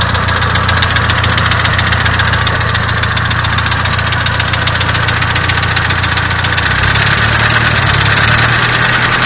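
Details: Nissan SR20DET engine: steady fast metallic tick about four per second riding over the engine, holding as revs lift slightly; engine knock.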